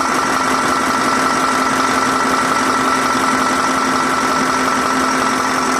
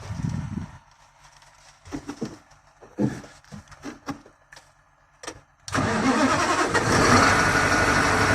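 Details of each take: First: 2022 KamAZ crane truck diesel with a knocking complaint, injectors swapped from a working truck, no fault codes on the scanner. Here it gives a steady, even idle with a smooth unbroken beat and no knocks or misses. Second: 2022 KamAZ manipulator truck diesel, injectors already swapped, check-engine light with knock: cranks and catches into rough idle with steady knock about three per second, then stalls; low fuel pressure traced to poor fuel pressure sensor contact.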